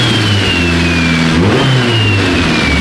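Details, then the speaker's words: Freshly swapped Nissan KA engine in a 240 chassis on its first test drive after the swap: clean revs rising and falling smoothly with a steady tone and no rattles or misfires; sounds right and healthy. "It sounds really good. It sounds right."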